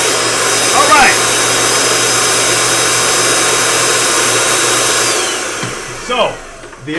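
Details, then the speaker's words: Steady high motor whine that winds down and stops on a carpet cleaner whose scrub disc won't keep spinning; suspected the disc stops receiving water, likely clogs. "only other reason that would stop this from spinning constantly is that the disc stop receiving water."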